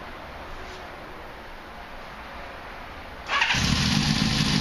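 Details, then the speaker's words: 1973 Honda CB500K2 cafe racer, barn-stored 25+ years, rebuilt with new seals and gaskets, 4-into-1 exhaust, first start after float bowl/float adjustment fixed no-fuel issue: catches after three seconds, smooth even four-cylinder idle; sounds great. "there we go Wow sounds great"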